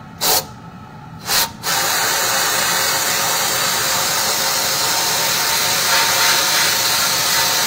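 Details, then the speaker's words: Sandblasting cabinet with a trigger siphon gun: two short trigger bursts, then a steady thin air hiss with no gritty rattle of media. Too little sand in the hopper, so the blaster is starved of abrasive. "then yeah that was pretty good yeah I apparently don't have enough sand in you don't have enough in there"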